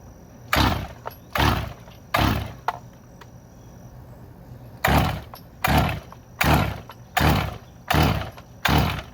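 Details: Husqvarna 575XP or Stihl MS361 chainsaw after rebuild: repeated pull-cord rasps, about three then six pulls, each a short whirr dying away with no firing; decompression valve suspected stuck, something not right.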